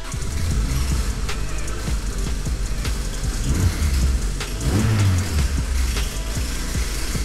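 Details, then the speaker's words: 2000 Acura Integra Type-R with turbocharged B18C5 (500+ hp) idling: sharp metallic knocks and rattle from the timing area, persisting with the alternator belt removed; crank timing pulley rattle from a worn keyway. "that's the noise so initially the customer thought it was the alternator so i removed the belt noise is still there"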